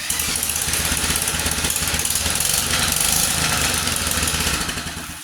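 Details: 1947 Whizzer Model H single-cylinder, cold on choke with an oversized jet still running rich: uneven, lumpy popping at about three beats a second; rough idle until it warms up.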